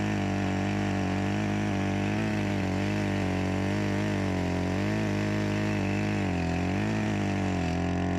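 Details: Echo CS-352 chainsaw after a carburetor and gasket replacement fixed its start-then-die complaint, cold-started: steady two-stroke buzz with slight rises and falls in speed, running cleanly without stalling; healthy engine, with a slight bog attributed to a dull chain.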